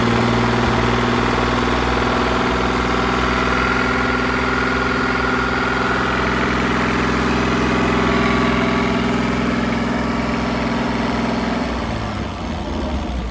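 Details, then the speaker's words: 1959 Graymarine 109 marine engine from a 1959 19' Lyman, after a complete overhaul, oil-pressure priming, timing set and carburetor adjusted: smooth, even idle with a steady low beat, no knocks or misses, easing off near the end; normal idle. "all right got our 109 running here set the time adjusted the carburetor sounds really sweet"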